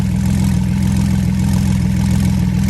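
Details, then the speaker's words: Flood-damaged Porsche 911 Turbo, second start without teardown, water-contaminated fuel, oil 50/50 Marvel Mystery Oil and 0W-40, base map, air hoses disconnected: low, even idle drone, no misses, knocks or ticks; healthy idle. "it's gonna run off a base map it sounds good if you ask me"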